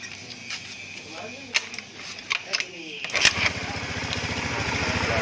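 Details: Honda Beat FI scooter with hard starting and rough noise. After checking the injector and fitting a new spark plug, and after the CVT roller housing was replaced, cleaned and greased, a test start gives a smooth, even idle without rattles. Normal idle.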